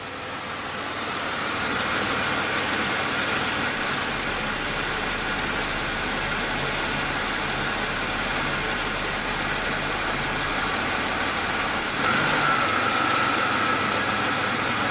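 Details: 2005 Chevy Impala with occasional stall and crank-no-start, suspected missing cam signal and injector pulse from harness problem; steady, even idle hum with no misses or stumbles; normal idle.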